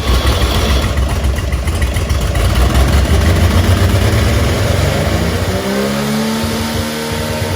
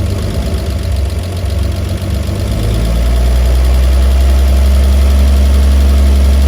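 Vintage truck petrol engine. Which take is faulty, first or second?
first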